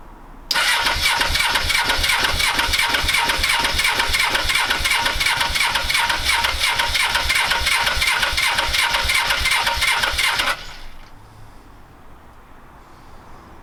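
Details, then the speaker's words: Suzuki GS500 after carburettor refit with new inlet rubbers and reset mixture screws: about ten seconds of fast, even cranking, roughly three beats a second, never catching; backfiring into exhaust, owner suspects insufficient air. "there's definitely fuel getting into it because it's backfiring it's going into the exhaust it's going bang i think it might be there's not enough air going to it"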